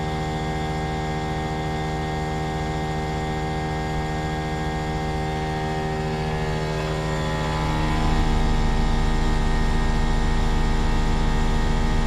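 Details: Trane XV18 heat pump outdoor unit installed December 2021, loud steady electrical hum with strong low tones lifting slightly near the end; much noisier than it should be, owner calls it a lemon, cause unclear.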